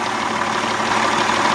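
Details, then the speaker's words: 1992 Johnson 60 hp outboard, first run in water, hood off, motor cool: even, steady idle with consistent buzz, no misfires or irregular knocking; normal idle. "cool as a cucumber she sounds good she feels nice and cool here's the idol"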